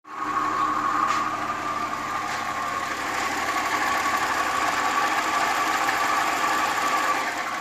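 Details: 2017 Audi Q7 with supercharger, engine running: a constant whirring whine with faint rough grinding over the idle and no knock. Bad water pump.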